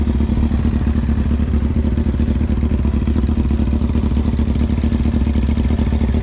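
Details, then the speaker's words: Rebuilt Kawasaki Ninja ZX6R after final checks, no leaks seen: loud, even idle with a firm low beat and no misfires or rattles; the engine is running healthy. Normal idle. "It sounds pretty good. It's not even touching in there. I didn't see any leaks earlier, so that's good."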